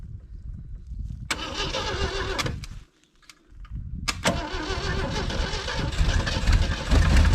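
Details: 1980 or 1981 Jeep CJ with 258 inline-six, sat about 20 years, choke closed: starter churns in uneven bursts, nearly fires once or twice but never catches; owner says something is missing in the ignition.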